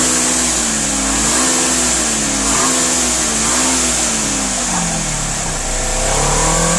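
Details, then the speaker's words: 2016 Polaris Ranger 900 XP high-lifter after being sunk, with water drained from engine and exhaust, fresh 5W-20 oil and filter; engine revs up and settles smoothly with no knocks or misses, running normally. "well it looks like she's okay"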